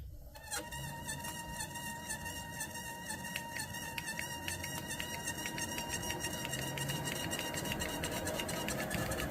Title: Urevo SP1 lite walking treadmill motor squeaking noise